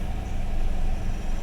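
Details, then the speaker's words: 1995 Toyota 4Runner after fixing crank-no-start code 12 (no spark) by replacing the distributor, aligned to cylinder one: low, steady rumble with even firing and no stumbling or misses, a healthy, settled idle. "now if we come inside now we crank the engine everything should be good there engines running"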